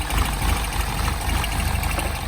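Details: R60 Mini Countryman Cooper S just started, engine light on, revs hunting: unsteady rough idle with a thin high whine; first thought to be tensioner, turned out to be a torn PCV diaphragm vacuum leak.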